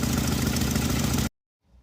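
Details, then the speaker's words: Jeep at idle before repair, check engine light on and flashing when driven: uneven, lumpy, shaking idle with a dead-cylinder stumble, sounding like an exhaust leak, then shut off; misfire later traced to a fried PCM. "We've got a dead hole somewhere. The check engine light is on, and if you give it gas and drive it, it starts flashing. Here's the engine doing the shimmy and the shake. Sounds like an exhaust leak, but I think it's just a dead cylinder."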